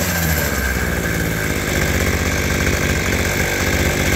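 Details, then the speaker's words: Abandoned roadside two-stroke hedge trimmer, reassembled with the throttle cable refitted: crisp steady buzz at even fast idle with blade going; starts readily and runs clean. "What a sweetheart. It's pretty cool."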